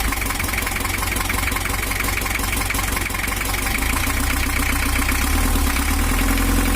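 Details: 1982 Toyota Hiace LH11 diesel, brought in for overheating and rough running; after camshaft timing set to valve top, idle clatter is now even and smooth, though still not quite right; pump housing worn, cylinder head warped and cracked.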